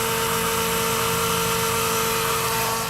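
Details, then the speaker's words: Ford PowerStroke diesel truck, newly replaced fuel pump priming at key-on after about two weeks unrun: a steady, even, constant-pitch electric whine that sounds different from before. It builds pressure, confirmed by the gauge. Healthy prime. "So let's see what happens. Definitely sounds a lot different. And there goes pressure."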